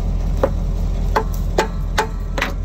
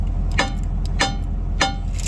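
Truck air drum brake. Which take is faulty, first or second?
first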